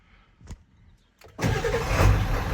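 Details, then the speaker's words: 1996 Ford F250 7.3 Powerstroke diesel, 240,000 miles, after a new starter replaced the original grinding one (suspected bad Bendix): a brief, clean crank with no grinding, then it catches within a second and settles into a steady idle. Normal cranking and start. "oh yeah real quick real nice that's that's great"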